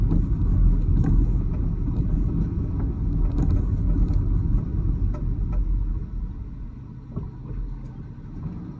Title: Challenger rear left clunking noise